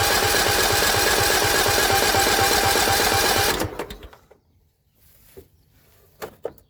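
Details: John Deere L110 lawn tractor that sat three years: fast, steady starter churning for about three seconds never catches, with the fuel line off and no fuel arriving. The gauge shows fuel, so the owner suspects a failed fuel pump.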